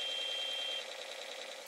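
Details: ZX81 saving to tape on an older, compatible tape recorder, monitor on: steady high pilot tone under a second, then buzzy warbling data stream; clean, normal save signal that later loads successfully.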